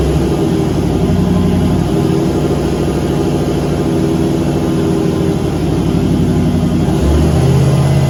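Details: Turbo LS V8 Caravan with 4L80E automatic, warm, headers baking off: loud high steady roar, rpm drifting up without pulling harder; 24% throttle gives 4000 rpm at only 45 kPa (idle ~40); owner suspects transmission slippage, fluid checked beforehand.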